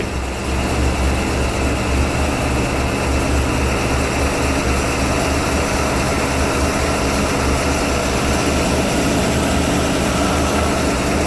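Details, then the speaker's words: 1991 Ford E350 cutaway 5.8L with in-tank and inline high-pressure fuel pumps, after its no-start was fixed, first start of the day at minus 20: catches and settles into a steady, even low rumble with no misses; normal cold idle. "Alright, it's like fucking minus 20 outside. And this is gonna be the first time I try to start this thing today."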